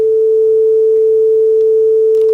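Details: Akai HX-R44 auto-reverse cassette deck during full service, after speed calibration from 447 Hz down to 440 Hz; clean, steady tone near 440 with no drift; correct tape speed.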